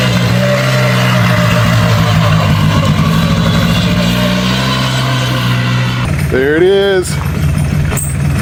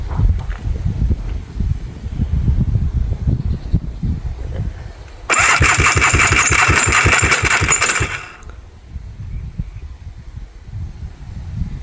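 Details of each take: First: Scrap/parts four-wheeler ATV after driveway repair: steady, even single-cylinder drone rising briefly with a throttle blip; it now runs and drives normally and smokes less than before. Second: Scrapped 4-wheeler after piston, starter and carburetor replacement: cranks about three seconds at four rough beats a second without catching, harsh and uneven; owners think something fell; cause unconfirmed; abnormal cranking noise.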